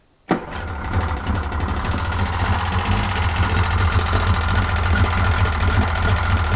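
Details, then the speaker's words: 1995 Yamaha 50hp (62F-80) two-stroke carbureted 3-cylinder autolube outboard starts and settles to a rough idle with fast, irregular ticking at about three per second, not firing on all cylinders. Idle timing is near but not exactly on its mark. "Sehän naksuttaa. Ei ihan käy kaikilla. Juu ei. Ei ihan pelaile."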